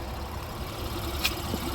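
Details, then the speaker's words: 2018 Honda Pilot, about 104,000 miles, after timing belt, water pump and spark plug replacement: quiet, steady idle with even low hum, no ticking, knocking or misfire; sounds normal, no leaks after 10-mile test drive. "got all the plugs in and everything full of water and um there we go sounds like a regular Honda"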